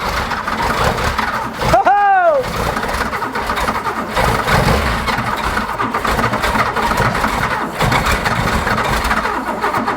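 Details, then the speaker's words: Porsche 911 2.8 RSR build, first start after a no-spark problem: starter whirs, engine catches and runs rough with an uneven, lumpy idle, no leaks; smoke then appears near the starter; cause of roughness unknown. "we got stats and started it's mics like a pig but it starts his gun nothing's leaking"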